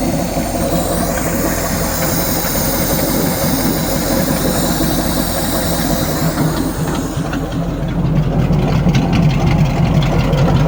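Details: ZIL-131 V8 engine converted to fuel injection, first start: deep fairly even idle burble that firms up and grows louder, running on its own.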